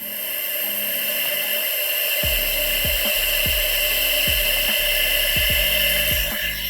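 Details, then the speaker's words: 1984 Honda CB700SC Nighthawk, top-end leak-down test at 25 psi: steady loud hiss of air escaping past an unseated intake valve with quick ticking; no compression, likely caused by overflowing number four carb. "so I've only got 25 psi in here and uh yeah it that's that's not good so we definitely got intake here it is like I could barely hold my hand over it that's how much air is coming out"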